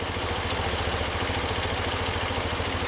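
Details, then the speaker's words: BMW R90 boxer twin after Harmonizer carb balancing: steady idle right at 800 rpm, dancing a little, even loping pulses, no miss or knock; no vacuum leaks suspected, carbs balanced, normal idle. "i'm pretty happy with that i don't think we have any vacuum leaks we're idling right at 800 rpm it just dances around a little bit"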